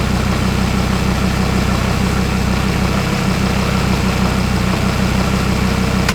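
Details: Audi RS3 DAZA five-cylinder engine on first start-up during coolant bleed, with the auxiliary coolant pump heard whirring: smooth, even idle with steady low thrum; healthy.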